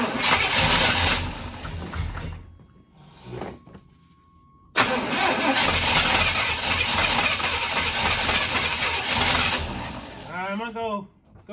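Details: Abandoned barn-find square-body Chevy truck in zero-degree cold: long fast starter whirr that never catches, pause, more cranking with no firing; cranks but won't start, possible blocked fuel filter, carburetor being primed.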